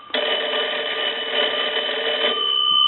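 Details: Kellogg wood wall crank telephone under repair/conversion, rung again via line analyzer: bright, fast, steady bell rattle rings out cleanly and evenly; ringer strikes both gongs properly.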